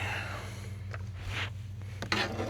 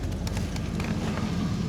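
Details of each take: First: Holden VN SS V8 cold start after sitting on the hoist: cranks and catches, then a steady idle with a faint quick tick. Owner attributes the tick to oil; it now has fresh fluid and quiets down as it runs. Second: Holden VN SS with fresh fluid, idling shortly after a ticky cold start: short burst of low, steady idle with no ticking or knock, quiet and settled; normal idle.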